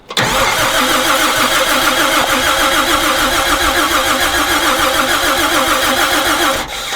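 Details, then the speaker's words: Toyota Land Cruiser FJ40, sitting about 40 years, fuel added about a year ago, cranks evenly with no whines or grinds but never fires; spark suspected, unconfirmed. "I don't know if we're getting Sparks I don't know if we're getting spark"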